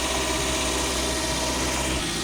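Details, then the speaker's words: Cold petrol car after sitting a long time, after a P0300 random/multiple-cylinder misfire code was cleared: smooth, even fast idle that drops as it warms; earlier misfiring now gone, normal cold fast idle. "जैसे जैसे इसका temperature पूरा होता जाएगा are नीचे आता जाएगा य देख नीचे आ रहा जैसे जैसे गाड़ी गर्म होगी इस कार जग आता गा"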